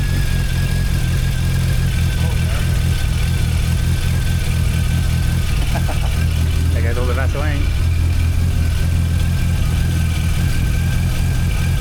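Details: Rebuilt Mazda RX8 Renesis rotary with RX7 apex seals, clearanced for boost, low-temp Mishimoto thermostat, first start: deep steady rotary burble at even idle without stumbles or misses; oil pressure 17 PSI.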